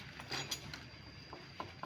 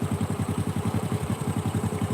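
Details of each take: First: Honda Supra 125 engine disassembled after a tek-tek knock: light metallic clicks come in small bursts as the connecting rod is rocked by hand, showing big-end play. The worn rod also left the piston oil ring stuck. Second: Honda Supra 125 single-cylinder idling after service, with an even, steady idle thump of about three to four beats a second and no knocks, ticks or rattles: normal idle.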